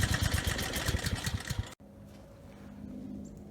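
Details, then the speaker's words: Briggs and Stratton generator at no load after carburetor cleaning, governor tab bent to raise rpm toward 61 Hz; quick, steady firing beat at even speed with no surging or stumbling. The earlier no-load stutter is resolved, normal running. "good that actually ran better than I thought you know the carburetor looks pretty clean so I didn't think that no load kind of engine stutter was gonna be resolved by cleaning the carburetor but it definitely was resolved you know the engine sounds perfect now"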